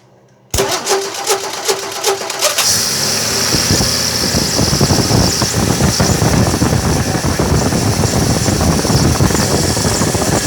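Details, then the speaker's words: Late-70s Slant Six with new water pump, timing chain and electronic ignition, first start after install in 1963 Valiant: sharp start, brief rough stumbling, then steady even idle. "I put the wires back on that solenoid the way it's supposed to be disconnected the remote starter and seems to be running pretty good"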